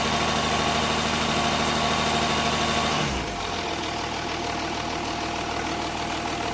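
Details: Jaguar S-type 2.7 diesel idling: steady, even knock about three times a second persisting after revs drop; owner suspects a low-end knock, possibly spun bearings. Cause unconfirmed.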